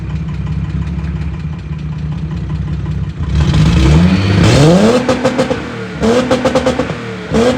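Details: VW Golf Mk1 (VR6 tagged) with broken exhaust awaiting repair, revved; loud, raw, harsh unmuffled blatting climbing and dropping with each throttle blip. Broken exhaust.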